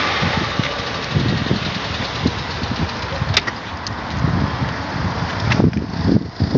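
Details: Nissan Almera 1.8 with a heavy knock; dipstick dry soon after topping up oil, spits oil from the tailpipe 2-3 m when revved; uneven heavy knocking through a rough, fluttering idle, sharpening on throttle blips; engine knock when revving.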